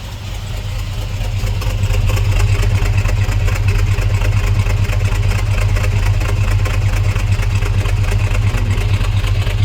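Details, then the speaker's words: Squarebody C10 with an LS swap at first start, true dual exhaust, oil pressure about 35, idle seeming low: a deep, steady V8 idle with an even rumble and no ticking at the front pipes. No exhaust leaks. "go the other side and see oh yeah I don't hear any leaks up front in the exhaust that's good"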